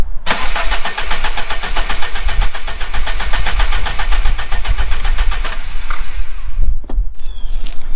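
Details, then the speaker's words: VW Mk3 with 2.0 L ABA engine and 5-speed manual: fast, steady starter churn for about five seconds that never catches. Tachometer now moves off zero; a crank position sensor fault is suspected, not confirmed. "nothing we do have the tachometer coming off of zero though so there was probably something wrong with the cranks crank position sensor"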